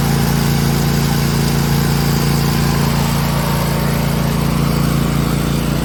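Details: Cub Cadet LTX 1046 VT hydrostatic with Briggs and Stratton engine and MTD snowblower attachment, worm gear just rebuilt with new parts: steady, even idle beat about three per second, no drive grinding; normal running.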